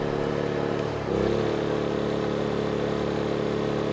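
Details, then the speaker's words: Honda EU2000i inverter generator after carburetor rebuild; earlier problem fixed by properly sealing carburetor front and air filter: note dips briefly as load comes on, then recovers and holds smooth. "and now we're seeing 1489 without effort the problem was completely removed by closing up the front of the carburetor the air filter and whatnot with all the correct pots"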